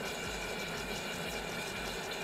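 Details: DeLonghi PrimaDonna Elite Experience after repair, chocolate jug heating: steady motor whirr with soft low pulsing from the stirrer and an even hiss on top; jug heating and stirring normally, process completes successfully.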